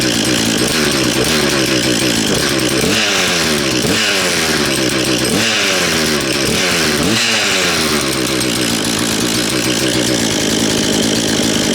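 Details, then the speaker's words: Husqvarna 236 two-stroke chainsaw, reassembled after previous owner dismantled it when chain stuck in a log: even idle with four quick clean revs rising and falling without stumbling; good compression, running healthy. "Tell you what, it sounds like a little motorbike. Sounds like a little dirt bike, that does, doesn't it? Good quality."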